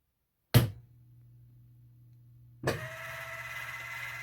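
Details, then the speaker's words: Williams Terminator 2 pinball, water-damaged, after replacing driver board components: thump at power-on, low hum, then clunk and mechanical whirring as more mechanisms move; good sign, though a coil had blown transistors. "Oh, we got more shit moving. That's a good sign."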